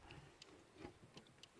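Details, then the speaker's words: Lada Kalina 2, 8-valve, 2181 gearbox, about 190,000 km, after lubricating the clutch pedal mechanism and spraying oil on the input shaft: very quiet, only light clicks from the clutch pedal switch, no squeak or creak. Normal quiet clutch pedal. "Слышно только, как микрик тут щелкает, этот выключатель сцепления,"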